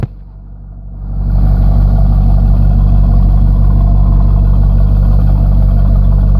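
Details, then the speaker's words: 1998 Corvette C5, first start after harmonic balancer replacement; engine hadn't been running, warming up, temp around 220–240°F, cooling fans possibly not running: revs climb from idle to a steady raised drone, smooth and even, no knocks or misses; normal revving. "for now um it seems to be running fine everything's looking good sounding good"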